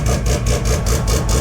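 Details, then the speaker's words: Mazda RX2 rotary race car, started after a couple of months sitting and fired first time: loud, choppy but even idle of about five pulses a second with no misses or knocks, and good oil pressure. Normal, healthy idle. "so fired first time off the key which is pretty good for a couple of months pretty good for a race car too means your engine is pretty healthy"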